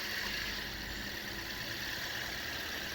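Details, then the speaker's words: Pakistani Toyota Yaris engine revved after fitting a new replacement part to cure a noise it made when started: smooth, even note with a steady hiss, no squeal, knock or rattle; only normal engine sound, problem resolved. "है जी, गाड़ी को एक्सीलेटर दे रहे हैं अल्हम्दुलिल्लाह, जब वो किसी भी तरह का जो है ना वो शोर नहीं है, सिर्फ इंजन का अपना शोर है। अल्हम्दुलिल्लाह गाड़ी क्लियर हो गई है।"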